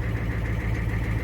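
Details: 1983 Ford F250 6.9L diesel, revived after sitting 8 years, idling off throttle right after first start: steady diesel clatter with an even beat and no surging; normal idle.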